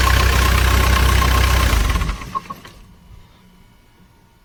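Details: Bobcat diesel after blown fuel pump fuse replaced with 15 A, pump restored: engine runs with steady even beat for a couple of seconds then shuts off cleanly, no misses or knocks; normal.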